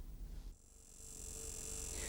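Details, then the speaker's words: Land Rover Freelander 2.0 TDi with the ignition switched on: a faint, steady electrical buzz from the solenoid valve at the base of the injection pump, which controls injection timing advance. This is normal operation. "Incidentally, don't be alarmed if you hear a slight buzzing sound like this from the injection pump when the ignition switched on. It's just the solenoid valve doing its job."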